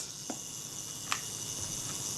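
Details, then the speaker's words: Kodak Retina IIIc self-timer (delay action) after cleaning in naphtha: steady even high buzz running down smoothly, soft click early and sharper click partway as it trips the shutter; healthy. "That's running down smoothly. And it sets the shutter off nicely."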